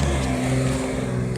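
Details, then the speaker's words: 1984 Chevrolet Monte Carlo that arrived not running: cranks without firing, but catches and revs strongly when fuel is poured down the carburetor bowl, pointing to a fuel delivery fault rather than spark; cause not confirmed. "says you put it over the fuel down to the the bowl of the carburetor fires right up"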